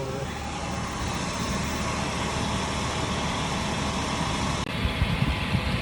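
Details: Black Jeep with a warranty replacement engine, freshly installed, hot idle at 45–50 psi oil pressure: steady, even idle hum with no knock or tick over light outside noise; an earlier lifter tick went away, no smoke, running smoothly and healthy.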